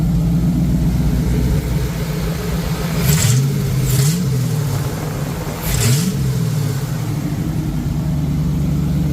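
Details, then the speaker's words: 1986 Ford Mustang GT Fox Body V8, fuel injected, after setting base timing, open H-pipe exhaust: a steady, even low burble with a couple of quick throttle blips; all eight cylinders firing, injectors good; normal idle. "But I know all eight cylinders are firing. All the paint is burning off evenly on them. So, the injectors are good."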